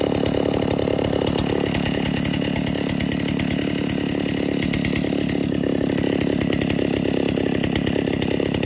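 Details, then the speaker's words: 1960s Stihl 08S two-stroke chainsaw, about 60 cc, cutting firewood after opening high jet further richer: rough burbling four-stroking howl under load, bogging in cut; adjustment too much, over-rich high-speed mixture, turned back. "That last adjustment was too much. We'll turn it back."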